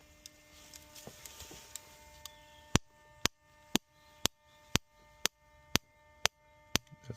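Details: Opel Astra Z16XE/Z18XE with P0300/P0303 misfire and idle issue, coil pack tested via diagnostic active test on cylinder one: sharp, even snaps about twice a second with no skips or weak pops; good, reliable spark.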